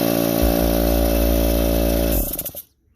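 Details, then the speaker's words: Harbor Freight Central Pneumatic air compressor pump runs with steady fast piston chug, three or four strokes a second, struggling to build past 30–40 psi; worn top-end valve plate, before rebuild. "So what it does is it struggles to go up past 30 psi. After that, it just seems like it takes forever."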